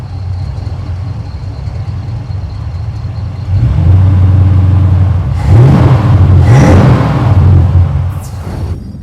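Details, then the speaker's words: 1947 Ford street rod on a hot day, choke opening: steady deep V8 idle picks up smoothly into even revs and settles back with no miss. Running healthy, much better than before. "Okay. We're good. Choke is opening up nicely. Sure is running a lot better."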